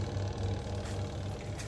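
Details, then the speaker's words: Washing machine after fixing no-spin fault: 8 µF capacitor replaced with 5 µF, brake wire bodge removed and brake restored: steady smooth low motor hum with no dragging or braking, resumes when lid closed; normal spin. "Ini bro, ini sudah berputar. Nah, kalau ditutup dia akan ngerem ya. Kita tutup lagi. Nah, dia jalan lagi, sudah tidak ngerem dia."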